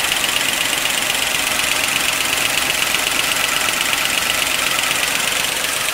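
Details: 1955 Pontiac Chieftain on fresh 10W-40 with Marvel Mystery Oil, always clackety: a quick, even light ticking of nearly three a second over a steady idle. It is gross under the valve cover, but a pushrod was not clogged; valvetrain clatter, cause unclear.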